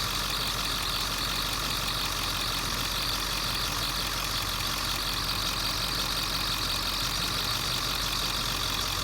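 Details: 2001 Ford F-350 diesel at idle: constant high-pitched squeal persists after spraying the water pump made no difference; owner can't isolate the pulley and considers fitting a brand new serpentine belt; worn belt slipping.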